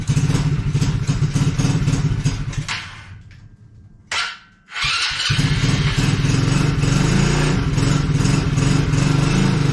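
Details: Coolster 110cc automatic quad after two years sitting: engine sputters, dies briefly, then catches and runs unevenly only on choke; overflow leak stopping once running.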